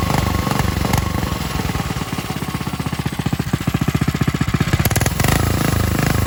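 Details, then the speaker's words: Coleman RTK100 (CK100) 100cc go kart single-cylinder engine at steady idle, even firing with no clutch grinding; the properly running kart, for comparison with the other kart whose unlubricated centrifugal clutch grinds and bogs. "so i'll show you this one this is how it should sound when it's running smoothly"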